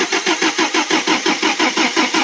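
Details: Toyota 22R carbureted engine in a 4x4 Pickup/Hilux, started via newly wired remote start on the starter solenoid: steady, strong, even cranking at about five to six beats a second, normal.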